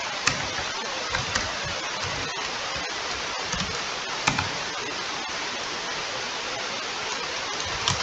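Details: Laptop humming: steady loud airy rush with no rhythm and a few faint clicks; cooling fan running hard and noisy.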